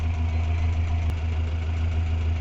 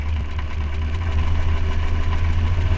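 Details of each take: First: Renault 4L Cléon 1108 cc engine, warm (about 80°C) with stock ignition before fitting the Grand Laurent module: steady, even idle averaging 800 rpm with no knocks, misses or hunting. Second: Renault 4L with Cléon 1108 cc engine, points ignition with Grand Laurent electronic module: low, lumpy idle with limping, irregular thump roughly twice a second; one cylinder dead because its plug lead is grounded for testing.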